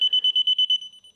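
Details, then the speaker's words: Heated-diode electronic leak detector in manual mode near an R-410A leak on a mini-VRF heat pump training unit; fast high-pitched beeping about nine a second that continues without auto-zeroing, then softens when partly blocked; leak detected. "Now, when we do that, it's not going to auto zero. It's just going to continue to make that noise."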